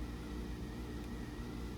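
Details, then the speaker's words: New Trane (WaterFurnace-built) geothermal unit after five-minute startup delay: soft, steady, faint even hum with no knocks or rattles; the compressor runs barely audible, quiet and healthy. "keep in mind this units got a compressor in it and we can barely hear it"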